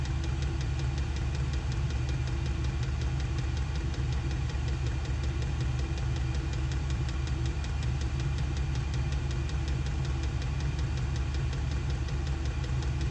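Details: SILVEL diesel heater on full heat in an insulated two-car garage, exhaust ported through a wall: deep steady combustion roar with a soft fuel-pump tick about once a second; burning cleanly and running normally.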